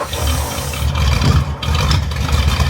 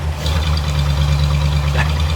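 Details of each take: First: Barn-find Ford flathead side-valve V8 sat 30 years, fuel pulsed into carb by hand every 10 seconds: deep slightly uneven rumble holding several seconds; runs only on hand-fed fuel, no fuel delivery. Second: Barn-find Ford flathead side-valve V8 sat 30 years, first run on hand-fed fuel: deep steady low rumble, even beat, no overhead-valve clatter as valves are down in the block; smooth healthy normal idle.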